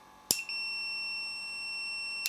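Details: Samick KS10 guitar amplifier, power switch tested with the meter while fitting a new power cord: probe click, then a steady high continuity beep of about two seconds that stops when the leads lift; the closed switch conducts cleanly.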